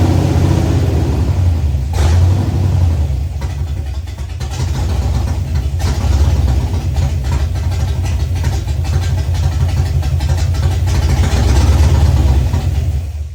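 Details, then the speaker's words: Ford Fox-body Mustang, rebuilt 302 V8 with new cam, second start with a little gas in the bowls. Lumping and surging unevenly, stumbling as revs hunt: rough running from incorrect ignition timing; adjusting timing helped it idle. "started the timing a little bit, and it definitely helped a lot. So at least I know it will idle."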